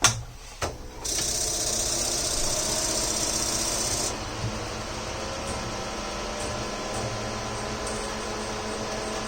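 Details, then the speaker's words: Cheap Chinese moving head light on the bench, color wheel removed; stepper motors buzz and whir through homing sweep with high whine, then hum unevenly as reset cycle fails. "because I discovered that the color wheel is not has been removed and just failed his reset cycle it's kind of long"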